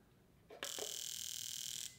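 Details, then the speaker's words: Mitsubishi Evo X fuel injector on a tester after carb cleaner spray and tapping: fast, even high-pitched buzz with clean start and stop; previously dead injector now pulsing properly. "and now you can hear it actually pulsing so this one is now good to go"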